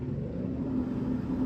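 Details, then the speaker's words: Bathroom exhaust fan whose broken blower wheel is held together with zip ties. Steady low drone with a faint hum and no wobble or rattle: balanced for now, though the owner says it sometimes goes unbalanced. "it's not too bad right now now the blower wheel in it is actually broken um and I have fixed it with some zip ties and it's okay balanced as you can hear"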